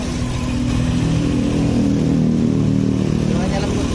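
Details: Honda Scoopy (2017–2018) brought in for a rough, noisy engine, restarted after work to check whether the noise was gone: a soft, even idle with a steady low hum and no ticking or rattle. It sounds healthy.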